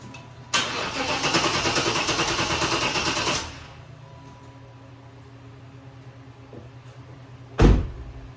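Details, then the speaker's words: 1995 Impala SS 5.7 LT-1 with backfire history, during Opti-Spark work, coil ground possibly poor; about three seconds of steady starter cranking with no catch: cranks but won't start, owner suspects the Opti-Spark is bad too, ignition diagnostics still to do. "But my thoughts are probably going to do some diagnostics now on the ignition system. But I'm pretty sure that Opti's bad too."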